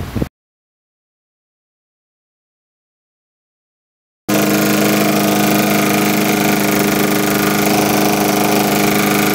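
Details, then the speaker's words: Briggs & Stratton lawn mower after removing the head and cleaning carbon off it: engine now runs at an even, steady speed with no surging, valves having room to move. "see how smooth it runs after I cleaned all that crap off the metal. Now the valves have room to go up and down and push up against the metal."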